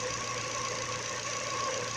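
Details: Running engine with a newly fitted Contitech timing belt that replaced the original Ford belt: a steady mid-pitched whir with a faint whine from the belt at the front; the new belt is suspected, not confirmed.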